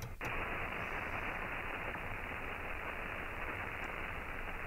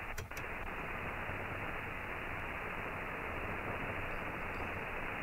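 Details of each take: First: Ham radio shortwave receiver on an end-fed half-wave antenna: loud dense crackling hash after a brief switching click, picked up from a nearby inverter; the doublet antenna rejects this noise better. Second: Ham radio HF receiver on a doublet antenna: steady, even hiss with no buzzing or crackle riding on it, while the end-fed half-wave picks up inverter hash; clean, quiet reception.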